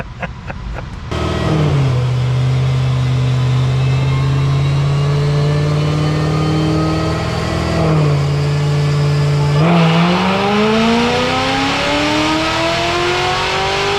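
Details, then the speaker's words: High-horsepower car on a dyno at about 15 psi boost, roughly 520 hp: engine pulls hard and steady under load, then revs dip and flare suddenly as the tire breaks loose and spins on the roller; spark knock at the top attributed to the spin. "I think it was just the spark knock was because it was uh spinning that's what what that was yeah what was the horsepower number 520. yeah she was definitely spinning"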